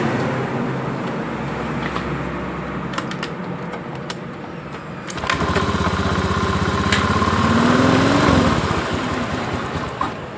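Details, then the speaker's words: Honda Beat ESP scooter with weak battery, after new NGK diode spark plug and refuel: engine catches on starter, revs briefly, dies within seconds, won't take throttle, lights flicker; battery and injector checked next. "bisa hidup tapi langsung mati juga. Enggak mau digas, Teman-teman."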